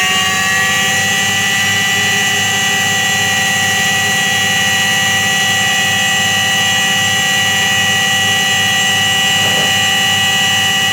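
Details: Washing machine drum spinning with a constant loud hum and roar and a low throb repeating about twice a second; worn drum bearing.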